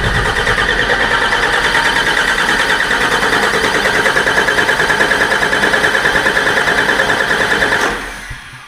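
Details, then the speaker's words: Freshly overhauled 5.9 12V Cummins in a Ford chassis farm truck, first start attempt with air in the fuel system after hand priming. Steady rhythmic cranking at about three turns a second that never catches: crank, no start. "well let's try to see if we get this thing to start might take a little bit to try to get the fuel in the uh fuel system there's a lot of error I'm sure so probably a lot of cranking"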